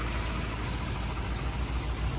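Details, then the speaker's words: 1963 Ford Thunderbird 390 V8 after a new dual exhaust with H-pipe, a new manifold donut gasket, tailpipes and mufflers: deep, even rumble at idle with no puffing or popping, quiet with the exhaust leaks gone. "There it is, guys. Nice and whisper quiet. No more exhaust leaks."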